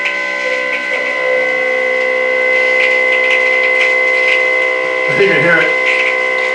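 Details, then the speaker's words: Small motor with brand-new bearings freshly lubricated with Bishop's Original anti-friction lube, run on its side: steady high clean whine, no grinding or rattle; about 3,850 RPM, 150 RPM more than before. "Now these are brand new bearings. So it's not like they're old or something."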